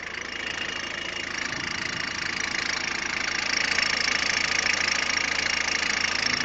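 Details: Peugeot 106 1.5 diesel (11/2002), 130,000 km, timing belt done at 73,000 km: at idle a fast, even ticking clatter of about three beats a second over a hissy background; engine noise of unknown cause.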